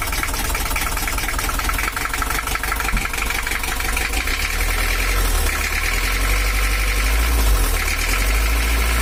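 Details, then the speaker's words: 1982 Toyota Hiace LH11 diesel, complaints of overheating and a harsh sound, apparently non-original exhaust: idles with a harsh, uneven clatter and rough rumble underneath; to be adjusted, as a small diesel should idle smooth. "suaranya kasar ya lurgan juga ada ginjalnya untuk mesinnya sendiri belum tahu oli mesinnya begelung Obos dan suaranya kasar nanti kita akan setel juga"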